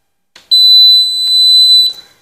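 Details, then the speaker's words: Continuity tester checking house wiring in a sub-distribution board (SDB) gives one steady high-pitched buzz lasting about a second and a half; the wire run is continuous. "এখন colouring, যেহেতু কারেন্টটা আমার check করতে হইব। এই যে শব্দ হয়েছে।"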